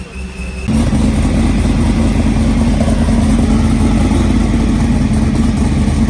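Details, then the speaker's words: ProCharger-supercharged V8 Trans Am, 7-8 psi boost, with new 2-to-1 muffler and exhaust cutout, cutout open so exhaust bypasses the muffler; fires up into a loud, deep, choppy rumble that holds steady; normal open-exhaust sound. "Listen to that thing. That's what the cutout opens. Well, it's not through the muffler. Yeah, the muffler quiets it down a lot."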